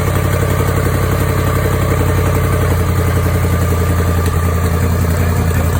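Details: Jaguar XF 5.0 supercharged V8, first startup after engine rebuild: deep, loud idle with a faint puffing patter on top from an exhaust leak.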